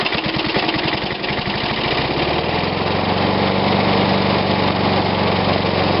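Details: Old Snapper push mower, Briggs & Stratton engine dated Dec 1987, refurbished, last startup before oil change: single-cylinder catches into even steady chug, no knocks or misses, no oil blow-out; normal running.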